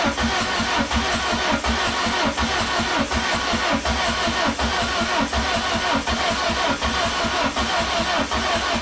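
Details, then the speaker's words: Peugeot 106 with swapped XU7JP4 engine, after wiring harness work: starter cranks steadily at a slow even beat but never fires; fuel pump sounded abnormal earlier, owner suspects the ECU, plans spark plug test; crank no start. "c'est bien ce que je disais pourquoi je m'inquiète si elle démarre pas moi je pense que c'est le calcul oki qu'il fout la merde"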